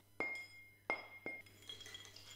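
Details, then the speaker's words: Kent KGS-200 surface grinder wheel, chipped, removed and tapped for a ring test: three sharp taps each give a clear, glassy, lingering ring; clear ring, wheel intact. "I performed a rim test to check that the wheel was intact"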